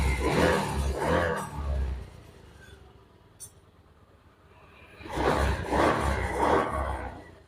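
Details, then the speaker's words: Honda Beat FI scooter after repairing lost ignition traced to wiring, spark plug cap reconnected and started: two clean throttle blips rising smoothly then settling to a steady, even idle; normal running. "Sekarang kita coba nyalakan dulu, kita starter. Nah ini motor bisa hidup."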